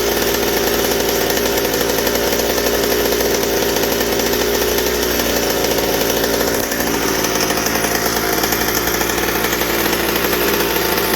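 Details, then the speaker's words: McCulloch 790 chainsaw frame with MC101 kart engine, new header and pipe, 3D-printed carb adaptor: high thin steady scream held wide open without richening or four-stroking; carb can't feed enough fuel at high speed, lean. "but it's not fitting enough on the high speed i can't get it to four strokes so the carburetor works but still the same issue"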